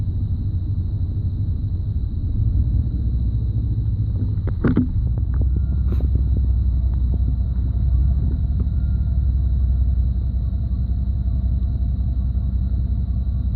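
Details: 1991 5.7 TBI V8: low, uneven idle with occasional stumble, random misfire at low idle with intermittent loss of spark on all cylinders; fine at higher idle.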